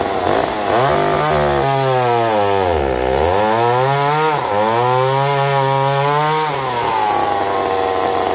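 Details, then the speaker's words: McCulloch 790 MC101 chainsaw, high consistent idle, first cut: high scream sags sharply mid-cut then recovers; bogging under load, owner suspects leaning out, possibly air leak. "don't like something like it's leaning out see if we go figure that out"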